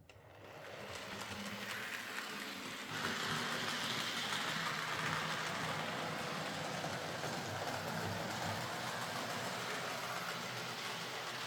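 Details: Hornby R.372 Class A4 "Seagull" model locomotive, tender drive, running after repair: quiet, even whirr with steady wheel clicks on track, no stutter or surging. Stop-start running was likely from excess axle oil spoiling electrical pickup; the mystery noise was traced to the valve-gear parts. Runs fine and quiet.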